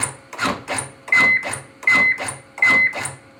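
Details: AutoPulse automatic CPR compression device of a fire department, activated for demonstration: an even mechanical whir-and-thump repeating about eighty times a minute, steady and unbroken; running normally.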